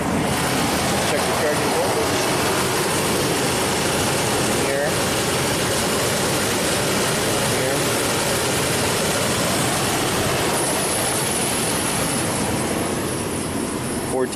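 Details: 2005 Nissan Armada V8, after no-crank from power-washing fixed: steady, even, smooth petrol idle outdoors, no misses, slight exhaust manifold tick noted; running normally.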